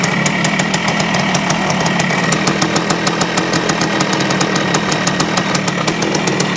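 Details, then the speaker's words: 1973 Yamaha CT3 175 Enduro two-stroke: it won't idle well, with an uneven sharp ticking beat and an occasional miss. Suspected worn crankshaft main bearings letting the crank move and open the points too much. "see the the roughness it is like it misses one once in a while and I think that's from the up and down movement that we're seeing here"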